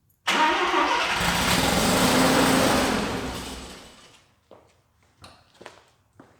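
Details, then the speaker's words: Mazda RX7 FB rotary, first start after refueling with fresh regular gas, heavy smoke: cranks and catches with rough rising burst that sputters and dies within seconds; flooded engine struggling to stay lit. "we have a running mazda and we are smoking so basically what we had to do um i was hitting the key i could tell it was flooding"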